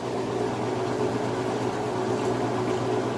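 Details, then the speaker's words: About 3-year-old Amana top-load washer, lid switch bypassed, large load on warm/cold regular, full-speed final spin: steady even whir and hum with no thumping or banging. Balanced, healthy high-speed spin. "Alright, so it's running full blast now. As you can see, it sounds great, and it's not shaky, wobbly, or anything like that."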